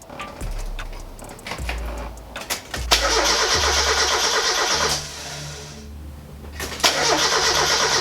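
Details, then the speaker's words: NA Mazda Miata after engine and transmission reinstall: starter churns the engine in repeated bursts with even chug, never fires; crank no start, fuel not reaching engine, found to be reversed fuel lines. "all right so I've been at it for a while now and it doesn't seem to want to start"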